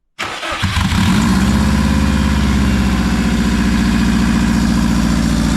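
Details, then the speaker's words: Subaru WRX first start after nearly 4 years sitting, with new clutch, turbo inlet, rebuilt engine reinstalled, no exhaust, intercooler or radiator: catches within a second, loud raw fast idle, steady and healthy; normal high idle after start. "After almost 4 years. She sounds healthy too. Besides it being no exhaust, no intercooler, no radiator, and a high idle, she's ready to go."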